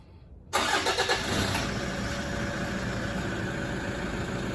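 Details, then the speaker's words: Toyota Hilux diesel with blue smoke on startup, rechecked after K&N air filter maintenance. Quick crank, then it catches and settles straight into a steady, even diesel idle with no stumbles or misses. No smoke seen. Normal start and idle. "All right, switch it off. Nah, nothing. So that was just to make sure the car still ran after I worked on it"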